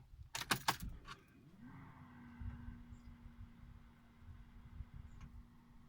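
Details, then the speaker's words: 2002 BMW E46 330i, right-hand drive: ignition on, keys jingle, then a low steady electric hum rises and holds as the fuel pump primes normally, then stops. "So firstly, let me just turn the ignition on and you'll hear the fuel pump priming, and then it will stop."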